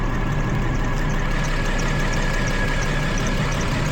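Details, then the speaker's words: 2012 Jeep Liberty 3.5 L V6 after coolant leak soaked the engine bay: rough lumpy idle with irregular stumbles, dead misfires on cylinders 1 and 5, intermittent spark; water suspected to have exposed weak secondary ignition parts. "no more leaks that the peers there's now a misfire not one but two cers one and five according to the scan data je not happy not happy at all"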